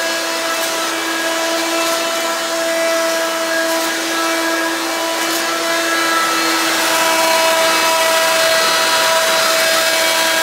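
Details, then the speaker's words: Hoover Quik Broom II S2141 stick vacuum damaged in shipping; very loud, high steady whine with a fixed tone and hard buzzing edge, louder than an S2095; owner unsure if the shipping hit unbalanced the motor or broke the fan. "but to the point this thing's pretty loud even louder than the s20 9/5"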